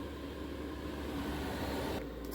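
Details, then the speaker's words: Velit 4000P gasoline heater in a 2023 Ford Transit van after install, in power mode: steady rushing blower with low hum, no rattles or scraping; heater fan running normally. "so it's like on low right now so this thing will dial down we're can turn it all the way up to"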